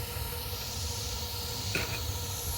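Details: Newly installed gas water heater, first light after pilot lit via igniter: steady gas hiss with a soft whoosh as the main burner catches, then smooth even burn; normal burner ignition.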